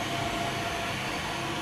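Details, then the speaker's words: Machining center (VMC) x-axis servo, a replacement motor, makes a constant thin high screech above the machine hum. It changes over time and when the axis is operated; the owner is unsure if it's normal and the cause is unknown. "does some of you know why my x-axis Servo is making this noise it's kind of a screeching noise it's making it all the time and it changes uh from time to time but when I operate it it also changes"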